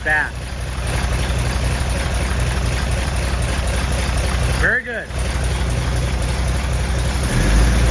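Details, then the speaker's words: 1970 Chevelle SS 454 big-block Chevy with solid lifters and Comp Cam, restarted to finish break-in after about 15 minutes' running; steady, lumpy idle rumble with no knocks or ticks, picking up smoothly near the end; healthy engine start. "all right we got a crack of beer oh that sounded good we're toasting a a successful engine start"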